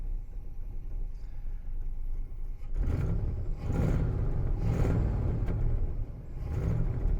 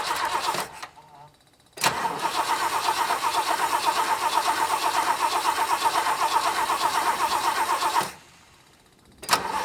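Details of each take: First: 1966 Lincoln Continental V8 first start after over a decade in storage, with fuel pump not working: low lumpy uneven rumble swelling and sagging about once a second; runs rough, cause not determined. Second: 1966 Lincoln Continental first start after a decade in storage, seized part had bent a pushrod, rotten fuel lines, temporary electric fuel pump fitted; fuel seen in carb. Starter cranks, engine catches and settles into an even, quick beat with no knocks; normal start.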